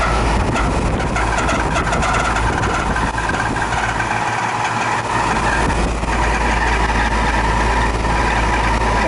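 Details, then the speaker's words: 20-year-old AC unit after about twenty minutes of running: loud, steady rushing drone with a rough mechanical undertone from a worn condenser fan motor needing replacement. "Here is that noise. Yeah, it's the condensing motor."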